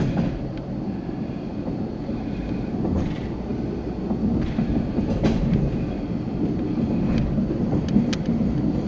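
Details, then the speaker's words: High-rail truck under 10 mph through a 4-degree curve near MP 109 with 5-inch superelevation, before tie restoration: irregular clatter and banging thumps over a steady low rumble; rough track from poor ties. "it's good the video i'm sorry the audio will pick up the noise and that's good that they can hear the banging i think why it had to be restored"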